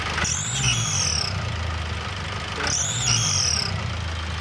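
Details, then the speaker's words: Turbocharged engine running with all drive belts removed, only the flywheel turning and the air filter off: a high whistle rises and falls with two throttle blips, tracking boost, not from the alternator clutch or rollers. "Заводим двигатель и смотрим, что же свистит."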